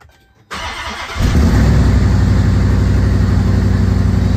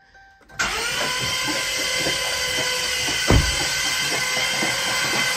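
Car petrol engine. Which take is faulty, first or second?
second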